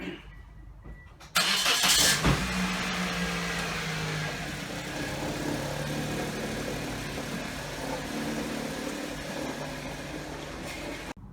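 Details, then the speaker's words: 2007 Pontiac Vibe on its test run after repairing the separated exhaust manifold joint with a new donut gasket and bolts: the engine catches, then runs steady and even with no raspy leak; no longer sounds like a hot rod. "Alright, YouTubers. Little vibe sounding good. It's not sounding like a hot rod no more."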